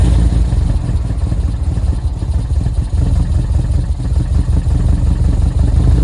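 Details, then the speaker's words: 2005 Subaru STI, very first start on replacement engine for break-in, check engine light on: loud deep idle with choppy uneven beat and some clatter; rough idle. "just like that she is running idling a little bit bad right now I got a check engine light"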